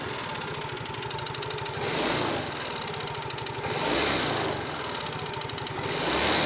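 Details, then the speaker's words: Yamaha Mio GT scooter idling: fast, even clatter from the rear CVT gearbox side, pointing to worn variator rollers and slider play. "ya Bunyi kletek sangat terdengar sekali dibagian sebelah sini ya teman-teman Jadi kemungkinan besar kepada motor matic matic apapun ya biasanya eh akan banyak trouble di bagian gearbox belakang"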